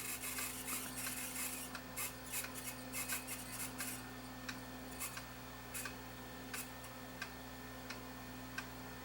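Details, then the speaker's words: Sony EVO-9800 professional Hi-8 deck playing evaporated tape with many dropouts: irregular high scratchy squeaks over steady low motor hum as tape sticks and squeals in the tape path. "yeah that was the problem with this this tape and this design and that i think was probably the reason that sony abandoned this chassis and developed the m loading system was it was just a little gentler on the tape"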